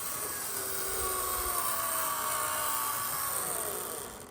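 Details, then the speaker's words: Conrail GP40 HO scale model locomotive from trains.com, possibly never run except the seller's test: thin, high, steady motor-and-gear whine that fades as it stops; a little loud, likely gears breaking in. "Little loud, but it hasn't been run for quite some time or it possibly hasn't been run at all except for when trains.com tested it."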